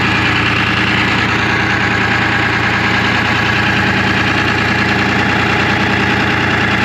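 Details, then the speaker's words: 1975 International Loadstar 1850, Detroit 6V53 diesel, air filter off and intake open, after new air compressor inlet line; roaring intake over uneven lumpy idle, one cylinder seemingly not firing. Owner will warm it up, then find which cylinder. "but i think it's still got that hole i want to try to get a little bit of heat in it and then we can investigate which cylinder it is"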